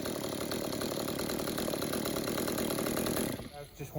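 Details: Stihl MS 192T two-stroke chainsaw that wouldn't idle or rev, after cleaning an ~80% clogged spark arrestor screen: steady crisp buzz without stumbling, then shuts off; normal running.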